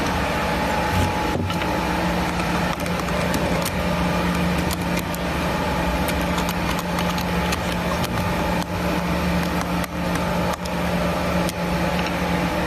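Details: Rotary barrel polishing machine (KT-6808/HY-19A, KT2000, KT3010, RT04 type) running: a steady low motor hum under random clacks of media tumbling in the barrel, with no squeal or grinding. It sounds normal.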